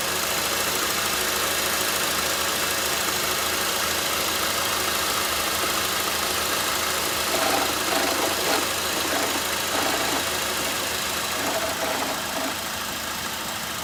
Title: Faulty bearings in alternator causing rattling noise from this 2007 Honda Accord 2.4L engine.